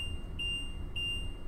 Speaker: As you can hear the beeping sound, that is a warning buzzer letting you know your jacks are down, so you don't accidentally drive away with your jacks extended.